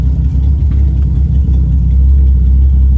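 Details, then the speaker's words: Project Z carbureted engine, parked with handbrake on: deep, even idle rumble with a regular beat, no stumbling; sounds right at idle, though it overheats once rolling; normal idle. "I mean, right now it sounds pretty good. It does. I mean, it sounds like what it's supposed to sound like, you know, when it's at idle."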